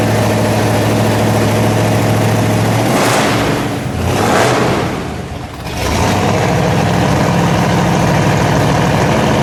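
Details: 1956 Ford F100 custom pickup, 460 cubic-inch V8 running on liquid propane, automatic transmission: lumpy, steady V8 idle, a couple of quick throttle blips climbing and falling cleanly, back to even idle; healthy, normal idle and revving.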